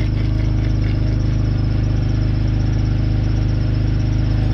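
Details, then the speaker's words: BMW 530i idling after a fuel filter change, fuel pump priming heard: thin steady high-pitched squeal from the front over the engine hum, owner attributes it to the belt; an exhaust leak is also suspected. "Qu'est-ce qu'on entend devant là-bas? C'est quoi ce bruit? Bah oui, là c'est la courroie qu'on entend."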